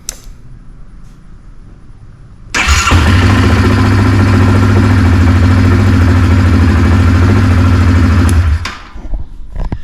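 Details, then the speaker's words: 2018 Yamaha Kodiak 700 EPS SE ATV after starter replacement; quick half-second crank without the old scraping noise, catches cleanly, steady even idle; previously needed several cycles; normal cranking and start. "i mean before it was kind of you know several cycles now it's you know half a second and it's firing right up"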